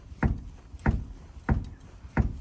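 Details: ZAZ-1103 Slavuta, knock from the rear worsening daily: four sharp hollow knocks about 0.65 s apart with quiet gaps; loose rear beam bushing bolt knocking.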